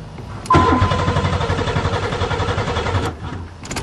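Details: Buick Regal after sitting over winter, with a new battery and the fuel pump heard coming on: the starter cranks evenly for about 2.5 seconds, but the engine never fires. Crank, no start.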